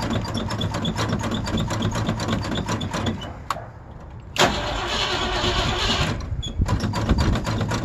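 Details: Old Ford Bronco cold start in winter: steady rapid cranking for several seconds, a pause, then a brief ragged catch that falters; very cold-blooded, hard starting with long cranking.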